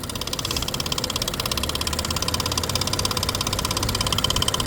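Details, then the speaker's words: 2017 Nissan Pathfinder at idle, hood open: fast light ticking about three a second, loudest on one bank; suspected lifter tick, would need intake removal, unconfirmed; oil looks good. "It definitely feels like it's on this side, whatever it is. So I would imagine you're doing a little bit of work, taking off that intake and lifters to start with, that kind of thing."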